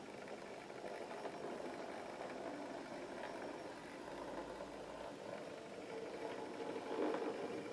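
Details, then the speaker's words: Hornby Colliery 4F ex-Airfix model locomotive converted from tender drive to loco drive: very quiet, even whirr at slow speed with no knocks, buzz or grinding, running faultlessly; brake fan sound chip noise in background. "you could never ever do this with an Airfix motor I've not seen one you could do with an Airfix motor like this and she's absolutely faultless"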